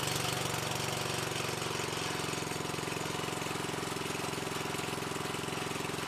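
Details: Old small engine on power equipment saved from the dump, started on choke at full throttle on the fourth pull: fast, even putter at about three to four beats a second with no misses or rattles; normal running.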